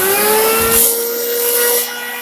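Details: Farmer IZE-05 grain grinder on coarsest setting grinding corn poured in volume; steady motor hum with a loud grinding rush that eases after a second; grinder labours and bogs under heavy load.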